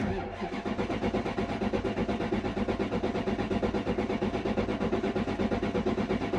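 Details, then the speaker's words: Toyota Soarer, dash lit and fuel showing, cranked: starter turns steadily about three turns a second with no firing, only a small chuff at the end; spark later confirmed; crank no start. "that sounds deered as a door nail oh there's a little bit of a chuff at the end there"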